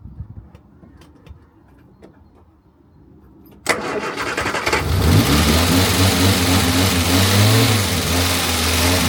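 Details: Morris Minor 1000 after a long break, spark plugs just done, battery boosted: starter churns and the engine catches into a lumpy, uneven idle that slowly steadies, sluggish hard start; cause not confirmed.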